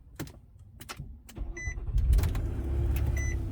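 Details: 2012 Nissan Murano with a blown head gasket, about a week after a K-Seal treatment: a few clicks, a brief crank, then it catches on the first try and settles into a steady, even idle.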